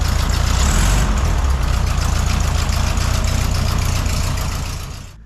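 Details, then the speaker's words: 1972 Volkswagen Beetle after a valve adjustment freed valves that were locked and caused a no-start, heard on a test drive: steady, even low thrum of the air-cooled flat-four with regular firing pulses and no misses or knocks; normal idle. "Oh, we're on our test drive and it's working out great."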